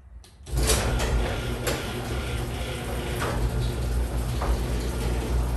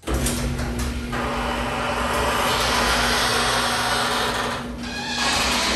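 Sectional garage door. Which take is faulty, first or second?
second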